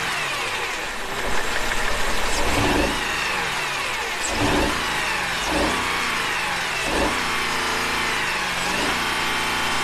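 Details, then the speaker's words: 2004 Mercedes-Benz E500 wagon, all-wheel drive, 330K miles: lumpy uneven idle and rough blips with a persistent stumbling misfire; replacing a suspected sticky lifter did not fix it, owner suspects a burnt valve and plans an engine replacement. "well there you have it obviously i have a burn valve or something of the sorts because that did not fix it the lifter did not fix the problem"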